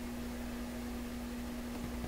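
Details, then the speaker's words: Sanyo GXT4505K combo radio on FM with a strong shop FM signal source: steady low hum with constant tone under faint hiss, no program audio; hum drops a lot when tuning up the dial; cause not yet found. "here's the hum too and if I tune up the dial The Hum the hum drops a lot that's a sign of something"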